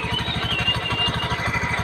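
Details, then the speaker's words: Honda Beat FI scooter, rough/harsh noise at idle: rapid metallic clatter about fourteen hits a second over the idle from the CVT; a damaged bearing or plates hitting inside suspected. "seperti ada bearing yang rusak seperti ada pelat-pelat yang kena di bagian sepiti atau gimana seperti gitu ya pandangan saya ya teman-teman biar tidak penasaran kita bongkar ya"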